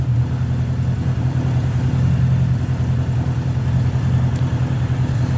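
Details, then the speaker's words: 1979 Honda GL1000 Gold Wing flat-four after valve seal replacement for excessive smoking; smooth, even idle burble with a couple of light blips, no misses or knocks; no smoke; normal idle. "I'm just letting you watch the thing run and make sure that she's not going to smoke any"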